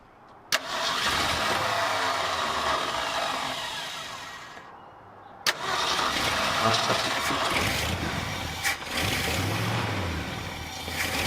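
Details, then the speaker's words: 1966 Ford F250 carbureted V8, start after the fuel tank reinstall with the bowl hand-filled: it catches and chugs, sags off, then restarts into a steady, slightly lumpy idle on clean fuel, with moisture from the exhaust and no leaks. "Good clean fuel, that's what you want to see. It's chugging away, I think we're golden."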